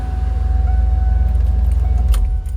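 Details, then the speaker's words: 1995 Hummer H1 civilian wagon, 350 gasoline V8, running barn find, idling in an enclosed building: deep, even, smooth rumble with steady firing and no knocks or misses; no fuel or coolant leaks; normal idle. "you don't see a lot of the 350s I said you can hear that it's smooth there's no fuel leaks there's no coolant leaks"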